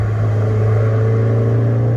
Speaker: Every time I shift, it's been making this weird noise and I can't tell if it's because it's cold outside or what.